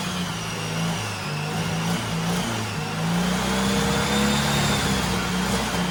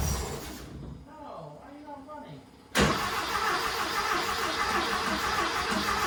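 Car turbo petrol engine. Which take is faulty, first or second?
second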